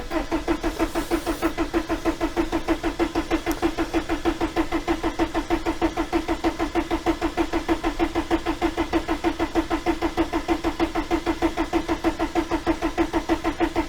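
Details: 1987 VW T3 camper with AHU TDI engine after new fuel pump install: steady cranking about three turns per second, never fires; cause not confirmed.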